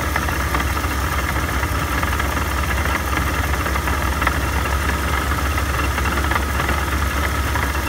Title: Supercharger noise after rebuild